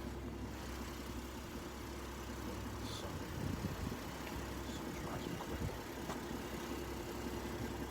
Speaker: That engine, you can hardly hear it. Nice and quiet.